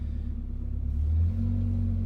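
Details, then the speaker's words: 1992 Toyota Pickup 22RE, 2WD manual, after new headers installed to cure highway drone: deep even exhaust rumble under light throttle, swelling then settling, no drone or rattle; exhaust sounds healthy, a little rowdy. "that sounds that sounds so much better already oh yeah this is what we were going for oh this is so so much better sweet already sounds a little [Music] [Applause] rowdy"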